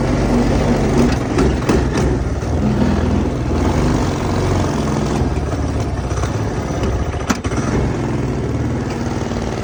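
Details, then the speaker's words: Go-kart small single-cylinder engine with a new 30mm carburetor: running lumpy and uneven with irregular firing pulses; a plugged part then found, needing tuning. "something is wrong I don't know what's wrong but something's wrong oh hold on that's why dang it because that thing was plugged"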